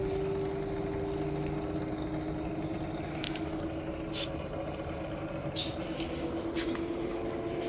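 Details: Samsung 6 kg washing machine after bearing replacement and a main PCB cleaning, spinning at full speed: smooth, steady hum with a clean even tone and no rumble or grinding, so the bearings sound healthy.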